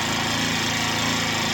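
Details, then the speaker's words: Chinese Amazon mini bike small single-cylinder engine on first start, choke just turned off after an initial stall: steady even buzzing idle, no misses or surging, running smooth and quiet. "There we go, that's running smooth now. Pretty quiet, you guys can hear me talking."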